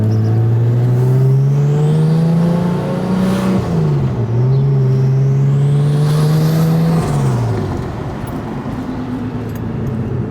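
Engine climbs and drops through the revs cleanly with only exhaust and road noise, no chirp or squeal from the belts.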